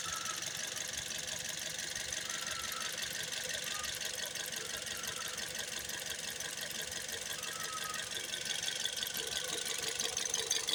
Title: Toyota 1NZ FE Vios 2008 2012 Engine Knock, Rattling Noise, Vibrate